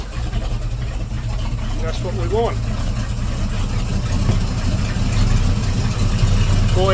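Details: Volvo Penta 454ci V8 boat engine with the new HEI distributor reset on the number one lead, before timing-light adjustment: starts and settles into a steady even low rumble, no misses, stumbles or knocks; normal idle.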